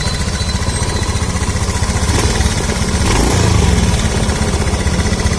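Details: 2014 automatic scooter running during a light-service inspection, fast uneven rattle about four beats a second over the engine, suggesting a loose part; cause suspected, not confirmed.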